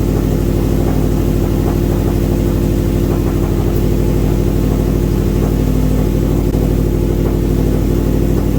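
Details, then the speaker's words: Subaru idling after ECU relearn, not yet driven: loud, steady idle with even regular pulse, no stumble, hiss or knock; air-fuel ratio hovering around 14.7, no knock, vacuum on point. Normal idle. "so we're just idling away here air fuel ratio looks pretty good it's hovering around 14.7"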